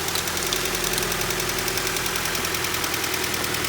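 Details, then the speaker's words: Honda CR-V B20B after a head gasket job and ignition timing set to 16° BTDC: steady, even idle with busy light valve ticking and no misses. The owner suspects one valve is slightly out of adjustment. "But yeah, we got her running. It sounds good."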